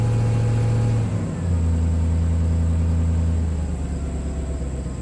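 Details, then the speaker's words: 1998 Chevy K2500 Silverado 5.7L V8 after injector fuel-pressure tests showed all near 46: deep idle with uneven loping beat about four times a second; misfire shakes at idle, smooth under load, very bad plug, cylinder suspected not firing. "so still got that misfire so under load it's actually pretty smooth but idle man it it really shakes"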